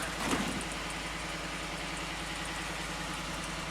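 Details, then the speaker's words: Wrecked 2015 Ford F-150 4WD with 60,000 miles and rear-end damage, started after a battery charge: smooth, even idle with a steady low hum, no ticking or rattle; a healthy engine. "he's peeking see if you're the crank go ahead oh yeah sounds good no rattle 60,000 mile truck"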